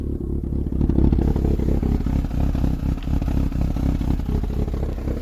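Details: Ford Sierra/Transit 2.0 SOHC Pinto, Weber 30/34 carb, start without choke after new coolant temperature sensor: uneven lumpy low chuffing idle with irregular beats and hesitations, heavy fuel smell, exhaust blowing; rough running, cause unclear.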